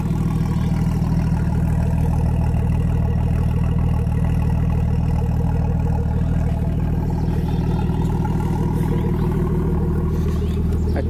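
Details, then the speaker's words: Freshly rebuilt Nissan RB25 on first start with a new wiring harness, a possible boost leak noted; steady, even idle holding on its own with no stumbles, knocks or hunting; normal idle. "hey there it is idling on its own"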